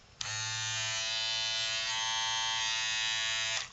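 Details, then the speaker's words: Andis BTF3 cordless hair trimmer, repaired for no green charge light and not charging, reassembled with screws to support the motor, run on a full charge: strong steady high buzz holding pitch from switch-on to switch-off; healthy full-speed motor running normally. "so here we go we'll turn it on my sounds good sounds sort of like a picture I'd expect from a full speed motor off a full charge"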